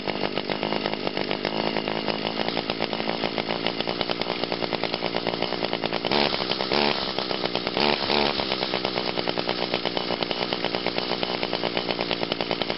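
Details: 2002 Echo SRM 2400SB two-stroke trimmer after a cold start with choke and five primes: a steady high-speed buzz with crisp, even firing and only brief throttle blips. It runs healthy.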